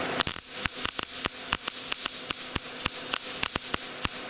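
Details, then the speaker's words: Gas-shielded short-circuit MIG welding, wire speed set against the chosen voltage, torch held slightly farther than normal; irregular sharp pops and crackles with gaps instead of steady sizzle: MIG wire speed too slow. "too slow. So your wire speed's way too slow. If it sounds like that, we'll turn it up just a little bit."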